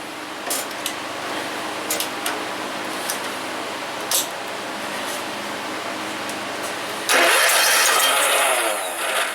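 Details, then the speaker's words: John Deere RX75 riding mower that did nothing at the key: a few key clicks, then fires about two seconds, loud, harsh and knocking; owner suspects broken crankshaft or connecting rod, carburetor also needs pulling; unconfirmed. "it sounds like when it fires it's just it sounds like it's hidden at a rough spot again and it is that sounds like a broken crankshaft or something connecting"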